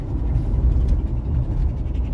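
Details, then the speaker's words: 2017 Ram 1500 after a 6-inch lift kit and sway bar bushing replacement; low, steady road rumble from inside on a rough road, with no distinct knocks or clunks, and the suspension sounds tighter. "already everything sounds much tighter there's less knocking yeah sway bar sounds much better after replacing the bushings"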